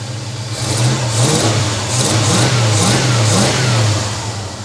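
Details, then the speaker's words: 1956 Chevy long-roof small-block V8 in park, after a PCV valve was fitted to cut blow-by following its restart from 2 years of sitting: deep, smooth idle running slightly fast, with clean throttle blips and no misfire; sounds healthy. "this sounds pretty good idling a little fast there but hey we're good"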